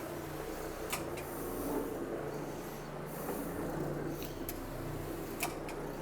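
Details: Oxy-Dry Orbitec OP carpet cleaning machine, about 12 years old, cleaning halls: steady low machine hum with crisp paired clicks every couple of seconds as the trigger opens and closes the solution valve while spraying; normal operation.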